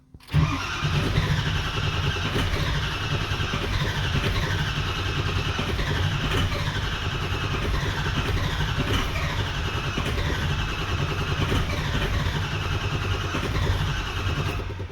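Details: 2004 Ford 6.0L Power Stroke diesel, earlier injector trouble, starter cranks steadily about fifteen seconds with even churning rhythm but never starts; crank no start, IPR around 55 percent.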